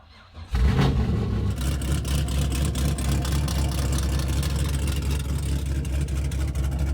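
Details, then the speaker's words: Salvage Camaro SS with a built 6.8L LS V8, big cam, headers and aftermarket clutch, in neutral and started on two jump boxes: a brief crank, then a loud, choppy, lumpy idle with deep uneven pulses. Healthy cammed start and idle. "For as loud as this thing is in the rear of the car, for a big engine, a cammed engine like what this does."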